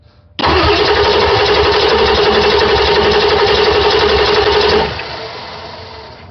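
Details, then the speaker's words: 1999 Ford 7.3 Powerstroke diesel cranking during compression test on the bad-injector cylinder, even steady beat about four per second with no weak strokes; just under 350 psi, compression good, so the fault is the injector. "just shy of 350 psi that tells me my compression is good"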